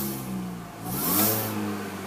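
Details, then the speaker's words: Mini Cooper S, petrol, manual, 98,225 miles, just started with no trouble: a clean supercharger whine rises with revs and falls back smoothly; the supercharger sounds normal and healthy. "nice supercharged whine there. And looking at the setup, pretty standard really from the Mini."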